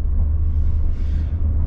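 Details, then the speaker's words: 2013 Peugeot 2008 1.2 PureTech 82 hp naturally aspirated petrol three-cylinder, heard from the cabin while driving: deep, throbbing, even rumble under acceleration with no knocks; a normal three-cylinder sound, described as not particularly pleasant. "Encore une fois, le bruit moteur à l'accélération, on l'entend, c'est un 3 cylindres, 82 chevaux."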